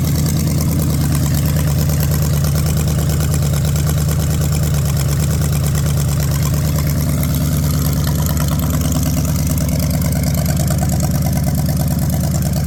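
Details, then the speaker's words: Ford 460 big-block from a neglected farm chore truck, first run on a gravity-fed lawn mower tank and the original mechanical fuel pump, no cooling system: a smooth, deep, steady idle. No smoke, no ticking or clatter. Healthy. "Man, that's awesome. It's not smoking. No clattering or making funny noises."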